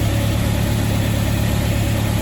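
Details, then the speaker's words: 1974 MGB first running after 12+ years, choke fully out, distributor not yet timed and carburettors unadjusted: low, lumpy, uneven idle that never settles. Rough running from the untimed ignition and unadjusted carbs. "it's alive it's alive it's not running all that smooth but it's running"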